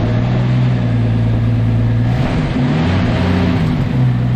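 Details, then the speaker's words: Turbo Centura, carbureted with a 500 Holley, 3-inch exhaust and factory fan, cold start: fires straight up into a deep, steady, even idle; a slight vibrating noise when cold goes away as it warms. "but yeah as you can hear as she just fires up no problems at all and idles Away really well as well"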